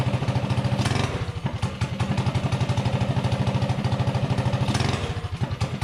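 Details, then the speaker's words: Predator 224-powered GTS mini bike, 26 mm PWK carb, after main jet dialed in for top speed, testing mid-range throttle response: crisp, even popping that picks up and settles cleanly with no stumble or bog; needle set about right. "the needle is set just about right because there's no bog or hesitation"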